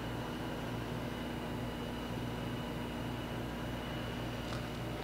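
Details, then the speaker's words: Giddings & Lewis Winslowmatic HC drill grinder, 1996, 12-inch grinding wheel, running with cover open via switch block for demonstration: steady even motor hum with constant tone, no knocks or wobble. Normal running. "turn on the grinding wheel which sounds good"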